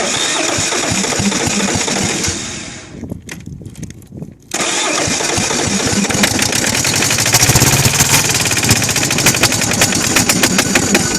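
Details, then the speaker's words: Kohler KD425-2 diesel, cold start: it catches and runs ragged, dies, then restarts with an uneven chugging beat. It is losing fuel prime, and the owner suspects an air leak, with fuel running back through the filter. "Oh, come on, pick up fuel. Yeah, just give it some heat for a second. Losing fuel, man. Come on, man. Prime it."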